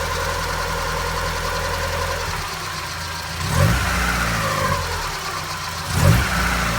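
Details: Mazda MX-5 NA 1993 engine: steady low idle, then two quick throttle blips with rising pitch; an unusual engine noise is present, cause unknown.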